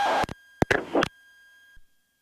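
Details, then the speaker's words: Aircraft radio in flight at 2,000 ft, a constant high whistle under chopped transmissions that lingers after them; tower reports transmissions garbled by a squeal, transmitter squeal. "why'd you jump to Roger and be advised your transmitters I garbled with the squeal in the background"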